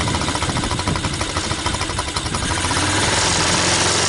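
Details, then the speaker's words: TaoTao ATA200D ATV, single-cylinder, first start after purchase: steady pulsing idle that loses rhythm and dies when shifted into reverse; stalls when put in gear, no bad gear noises. "It's going to stall. That was reverse, but it did go into gear."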